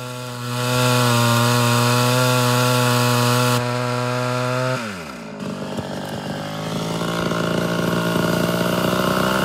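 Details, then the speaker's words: Mildly ported Homelite Super XL Auto chainsaw with a 20-inch bar during tuning: screams at full throttle, drops off, then the idle climbs on its own, a classic sign of a slightly lean mixture. "Did you hear how the idle kind of jumped up there? Classic sign of it being a little lean."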